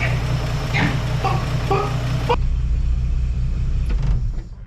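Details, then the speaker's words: 1958 Chevrolet Apache that had been sitting, started on a chilly morning with the valve cover off: a steady, deep, even rumble with no misses or ticking. It runs smoothly and much better than before. "oh I know is she busted right off even though it's chilly this morning and uh it is running way better than it was obviously quieter but running better"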